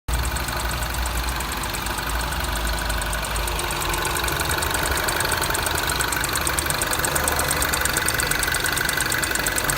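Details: Mini R56 petrol engine, cold, at idle: quick, fairly steady knock about four a second; it occurs only when cold, on throttle or at idle, and goes away with no throttle input.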